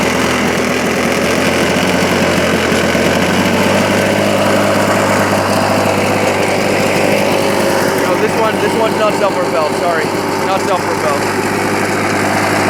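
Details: 1980 Lawn Boy model 8237 push mower (not self-propelled, hard primer bulb but otherwise works): small engine holds a steady, busy buzz with no misses or knocks throughout; runs healthy.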